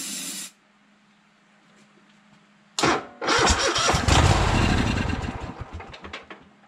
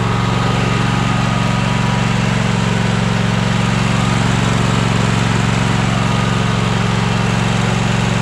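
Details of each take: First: Troy-Bilt Horse lawn tractor on starting fluid, no gas reaching the fuel filter: short burst, pause, then cranking that barely catches and fades; suspected failed fuel pump, later replaced. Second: Troy-Bilt Horse tractor single-cylinder engine running after new fuel pump: steady, even beat at constant speed, no misses or surging; earlier smoke from being tipped on its side has cleared; runs healthy.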